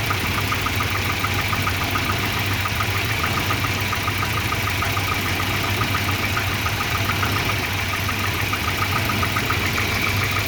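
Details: Volvo 240 petrol engine idling roughly with a slightly uneven, loping beat and faint ticking; multimeter on the O2 sensor gave erratic readings once exhaust reached temperature, and a new exhaust oxygen sensor fixed the rough idle.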